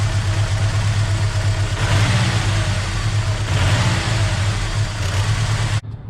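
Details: 1986 Ford Mustang SVO misfire: an uneven, stumbling exhaust beat at idle, ragged through a throttle blip. Unplugging injector 1 made no difference; the owner suspects the patched injector wiring harness junction near cylinder 1 under the elbow. Unconfirmed.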